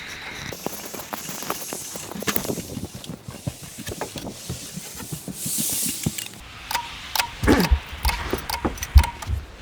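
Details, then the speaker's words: Märklin H0 model railway layout with CS3 linked to CS2: irregular sharp clicks and rattling bursts, clattering wildly; after switching to three/green it goes into stop mode. Decoders had been programmed overlapping; owner suspects a short circuit somewhere, cause unconfirmed. "I don't know if you can hear it, but it clatters quite a bit."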